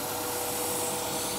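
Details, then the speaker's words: 1999 Acura Integra 1.8 L DOHC with high idle, check engine light and lean fuel trims; steady airy hiss with thin high whistle, engine changing under propane enrichment. Vacuum leak found: crack at a bend in a vacuum hose, replaced. "we have a leak in this hose here manipulating the hose all yeah there it is there's a crack in this vacuum hose"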